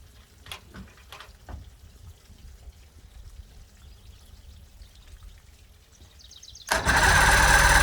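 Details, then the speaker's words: 1979 Johnson 90 hp Seahorse V4 outboard on a Steury boat, on water muffs, 50:1 mix primed, first start out of gear: fires at once into loud steady buzzing run, no stumbling; telltale plugged. Normal start and running. "now it runs good"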